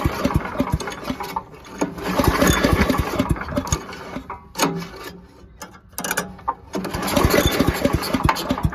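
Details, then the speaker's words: 1982 8 hp Briggs & Stratton on an old Giant Vac leaf blower, cold, full choke and full throttle after a carb spray: repeated recoil pulls with chugging compression strokes and no pop or firing; suspected no spark. "You know what? I'm gonna just give it a spray into the carb here. I have a feeling that there's no spark."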